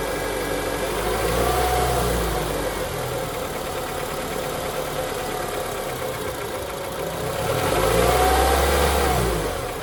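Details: Honda K24 petrol engine idling and revved twice: steady knock about four beats a second.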